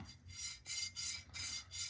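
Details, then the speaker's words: Krytac Kriss Vector GBBR with Bowmaster receiver plates after about 3,400 hand racks, bearings run by hand in the plate track: gritty rasping scrape on each back-and-forth stroke, not smooth, with contact and excess friction; rough bearing track. "Now, I will say that isn't really smooth. You know, that is I mean, you can hear it."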